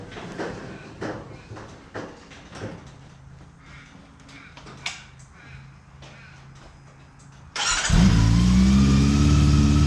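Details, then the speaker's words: 2009 Honda CB400 V-Tec, sat for years, start after new fuel pump, new battery and fuel-line part fitted, tank full; a few quiet clicks, then it catches at once into a smooth, even, steady idle; healthy start. "alrighty there we go that was the sound i wanted to hear"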